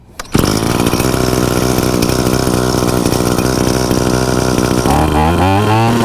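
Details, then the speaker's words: Trimmer (weed eater) started with choke off after cleaning the exhaust screen: fires at once, settles into an even high buzz, then revs cleanly; normal start and run. "i can show you right here that our choke was not on all i did was turn this thing on after we put it back together"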